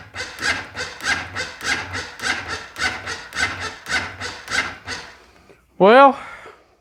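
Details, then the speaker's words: Honda Foreman ATV with a no-start, battery tested low (about 11-12 V) and then charged: labored, dragging cranking, too slow to fire; owner believes the starter is dragging. "well I believe that the starter is dragging so we can do one more thing right here"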